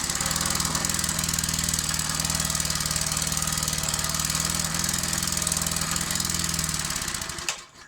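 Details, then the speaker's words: Old 20-ton Clarke log splitter, roughly 3.25–3.5 hp Briggs & Stratton, running the old carburetor with no governor set up: uneven running with a steady pulse under a loud hiss, then it dies. Owner suspects the old carb and awaits a new one. "All right, so yeah, I think that I think that the old carb is probably causing problems. I don't have the governor system set up on there right now, so happy to see it is kind of working, but I think I'm gonna have to wait until I get my new carb in to get it to actually run properly."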